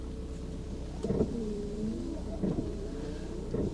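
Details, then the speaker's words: 1988 Volvo 740 GLE with over 430,000 miles: the wipers sweep in a slow, regular rhythm over idle with no washer pump whirr. Owner suspects it may be out of fluid. Finding: windscreen washer not spraying. "hello we've got the washer that's not working okay I can't I can't hear from in here"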